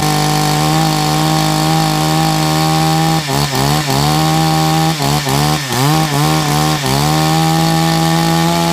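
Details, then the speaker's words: Chainsaw that had sat unused, refueled, chain brake not working and choke button needing repair: holds a steady high buzz with brief dips and recoveries as it's blipped; picks up cleanly and runs fine. "Okay, so it works. However, the choke button um needs repairing"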